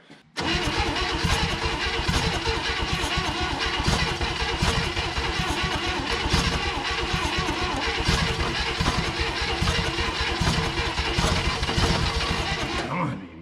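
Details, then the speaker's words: 1960 Chevrolet Impala, abandoned 38 years, cranking long and unevenly with scattered pops, uneven compression between cylinders, never running; needs the fuel pump hooked up for fuel supply. "we gotta have our fuel pump hooked up all right let's try out the fuel is all up"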